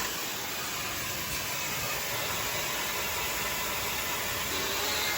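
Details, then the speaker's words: Prevost bus, Country Coach RV conversion, during inspection with brake pedal held: steady loud hiss of escaping air on one side near a valve, tank or brake chamber checked with soapy water; suspected air brake leak. "Sounds like it's this side. >> Sounds like it's over here."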